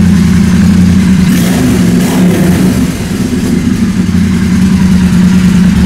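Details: 2016 Triumph Bonneville T120 twin, first start after new silencer and heat wrap: loud, deep, lumpy idle throbbing evenly about three beats a second, no ticking or blowing from an exhaust leak; healthy idle.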